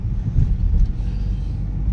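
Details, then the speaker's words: Mitsubishi New Cedia 4G18 engine with gas conversion installed three months earlier, stumbling and lacking power on gas, running on petrol: deep, even rumble with no stumbles or surges; runs smoothly on petrol. "ขับน้ำมันดีมากเลยลื่นเลยนะครับ"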